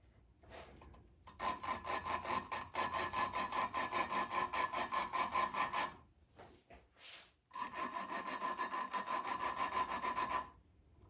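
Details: Triumph Spitfire cylinder head: gritty back-and-forth rubbing in two bursts, about two strokes a second, lapping a valve into its seat with compound; coarse at first, slowly quieter as it beds in, signalling it is done.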